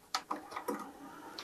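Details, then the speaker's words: Technics auto-reverse soft-touch cassette deck from e-waste, before repair: a few light, crisp clicks as the door releases, then auto-closes smoothly when the tape is pushed in, if a little slow; normal door operation. "If you put your tape in and then you push it a little bit, it should automatically close, which it does."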